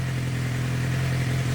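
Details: 2006-2007 Suzuki GSX-R 600, long left outside, after the stuck throttle adjustment was corrected: a smooth, even low hum with a steady beat and no misses or knocks. A healthy idle.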